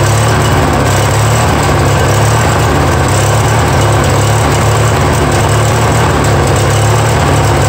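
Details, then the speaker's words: Free Yard Machines mower, 20 hp twin, first start after sitting; loud, uneven low thrum never settling, won't idle down; no knocks heard, owner pretty sure it just needs carburetor work. "that issue boys they are not even won't even idle down soul yeah so we need obviously some carb work"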